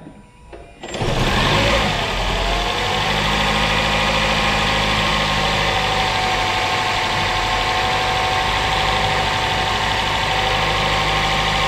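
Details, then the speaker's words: 2013 Toyota Camry Hybrid from the USA, high mileage, previously wouldn't start, after repair: engine catches and settles into a smooth, steady idle with an even hum, no misses or knocks; all cylinders working, normal idle. "tous les cylindres fonctionnent tout le principe vous pouvez pratiquement faire un tour test"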